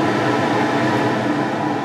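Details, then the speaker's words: Coleman Mach 8 roof A/C on a Lance 825 truck camper, right after the upgrade to a digital wall thermostat, fan on high: an even whoosh of airflow with a constant low hum and no rattle or wobble; the fan runs normally. "I'll make sure everything's working good nice let's try the fan first that's high"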